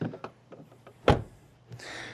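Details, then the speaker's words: 2026 Rivian R1T Quad Launch Edition, non-driver door closing: a few light clicks then one solid low thud, no rattle after; sounds much better than the driver's door, which seems to have something loose. "That one sounds way better than the drivers. This is a nice thud here."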